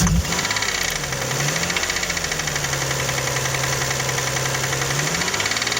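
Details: Toyota 1MZ-FE V6, knock appeared at first start after spark plugs, injector seals and throttle body cleaning; fast even ticking over idle, seemingly left and rear, following engine speed after a rev blip; camera found no cylinder damage, cause unknown.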